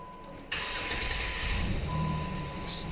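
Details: 2011 American car with no-crank no-start, after fixing the starting circuit wiring: quiet, then a sudden crank that catches right away and settles into a steady idle; starting now normal.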